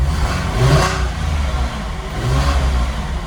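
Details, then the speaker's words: Porsche 996 GT3 cold idle, slightly high, after AC switched off, following new plugs, coils and tensioner that fixed a misfire on cylinders 3 and 5: smooth, even beat with gentle swells and no skip; firing cleanly. "Seems to be running smooth. Still idling a little high, it's cold. Let me turn the AC off over here. I got the AC on. But it seems to be running nice."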